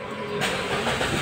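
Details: Kia Picanto, manual, after replacing the crankshaft position sensor that caused long hard starting: brief crank, catches on one click and settles into a smooth idle; clean, healthy start.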